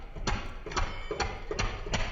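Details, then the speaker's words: Small diesel engine running after atomizer (injector) refitting and tightening; started first time, steady even chuffing about three beats per second with no misses, smooth clean running. "Engine अल्हम्दुलिल्लाह पहले ही दफा जो है start हो गया है अच्छी fitting हो तो पहली दफा ही स्टार्ट हो जाता क्योंकि कोई भी मिसिंग जो है व ना हो तो आपके सामने इंजन का आप साउंड सुन सकते हैं बिल्कुल बेहतरीन है"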